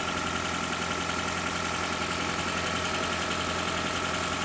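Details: Engine idling evenly during oil pressure test on a 2012 Toyota Prius 2ZR-XFE: a steady knock at two to three beats per second over a clear tone. Pressure reading reaches 60 and then drops slightly. Knock cause not yet found.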